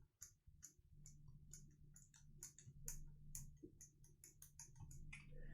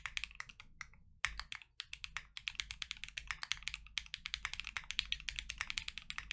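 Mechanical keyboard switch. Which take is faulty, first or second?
first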